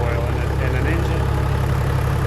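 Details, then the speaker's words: Toyota HDJ81 1HD-T diesel after rod (big end) bearing replacement and fresh oil: smooth, even idle with a steady low rumble, no knock or tapping, good oil pressure, possibly quieter than before. "uh so yeah it sounds real smooth it's actually in my opinion it sounds quieter and i think it might just be a placebo effect i don't know but it sounds good it's not knocking it's not lacking oil pressure"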